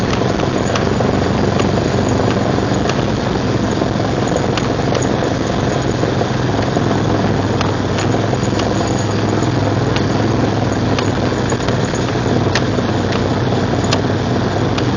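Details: 1999 Jeep Cherokee XJ, 6.5in lift, Dana 30 front axle: steady drive roar with faint regular ticking about once a second, front grinding only in 4WD Hi and Lo, worst under load; persists after new U-joints, rebuilt differential and driveshaft; cause unconfirmed.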